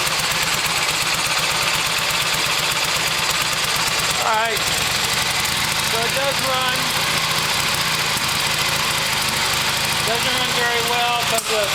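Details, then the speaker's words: 1972 Harley XLH Sportster, choke/enrichment at half: loud, uneven, stumbling idle under heavy hiss. Owner suspects a clogged carburetor idle circuit; otherwise runs not too bad. "carburetor's messed up. Um The idle circuit must be clogged in it. But just wanted to show you that it does run. Didn't run too bad. But it's just with the carburetor."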